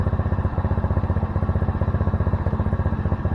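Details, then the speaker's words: Honda Navi after intake, rejetting and carb adjustment cured rich running; started after sitting about 3 hours at about 58°F, no choke: quick, even low putter near four beats a second, smooth with no misses or rattles, normal idle. "Runs pretty nice now. Alright, so I'm going to start it up. The bike hadn't ran for about 3 hours now. Starts right up, no choke."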